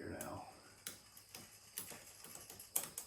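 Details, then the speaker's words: Schwinn 21-speed bicycle left outdoors since 2017, chain treated with WD-40: sharp irregular clicks about twice a second as the cranks turn, from stiff rusted chain links jumping over the sprockets. "can you hear that clicking back there there probably see it jumping as much as you can hear it click y there's one that definitely needs some attention"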